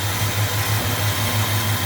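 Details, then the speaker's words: 1965 Chrysler 413 Wedge V8 after new points, condenser and cap, timing set by ear and rpm, warmed up with thermostat about 146–147: steady, even idle; earlier idle roughness gone, no dieseling or hard starting. "it just had a little kind of a roughness to it and that's gone now so there it is running uh smooth if you can hear it with the traffic on my busy Street"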